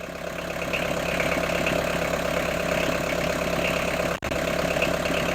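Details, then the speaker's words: Fiat Ducato camper van turbo diesel just restarted after timing and water pump work, warning light flashing, still cold before warm-up: steady idle with light, even clatter, no misses or knocks — normal diesel idle. "that now as you can hear it sounds like an old turbo diesel engine"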